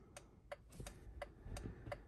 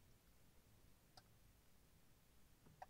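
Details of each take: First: 2006 Honda FR-V 2.2 diesel after repairing indicator module 38650-SJD-E01 (failed G8N-1FS relay): crisp, even flasher relay clicks about three a second at a steady normal rate; indicators now working. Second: 2006 Honda FR-V 2.2 diesel with one indicator not working. Faint single relay clicks as the stalk moves, never settling into a flash rhythm. Fault is the failed G8N-1FS relay in module 38650-SJD-E01.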